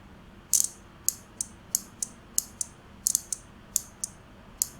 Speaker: இதுதான் உங்களுக்கு ரிலேவோட சவுண்டு. எப்போனா காயில் டச் ஆகும்போது சவுண்டு வருதோ அப்போ வந்து நார்மல் ஓப்பன், அதர்வைஸ் வந்து நார்மல் க்ளோஸில் இருக்கும்.